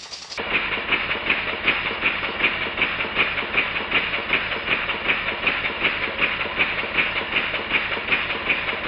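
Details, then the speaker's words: Model steam engine running on compressed air after steam chest and cover refitted with six new 4BA hex bolts and exhaust pipe extension added; crisp, even exhaust beats about 158 a minute with light airy hiss; sound changes as a spanner covers a bench hole; normal running. "you can clearly hear how the sound changes as I cover the hole with the spanner"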